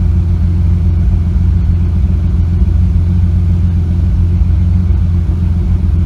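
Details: Engine with a slight misfire that started after a nitrous backfire: loud rumble with an uneven, lumpy beat and irregular stumbles; cause not yet found.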